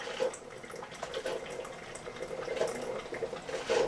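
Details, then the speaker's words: Keurig 2.0 coffee maker brewing a 12 oz cup, strong setting off: soft gurgling and trickling with gentle bubbling and pump clicking, no strain or rattle; normal brew cycle. "And you can hear that pump clicking back and forth, pushing that water through. Like I say, this one here is much quieter than this one, but realistically, I don't care."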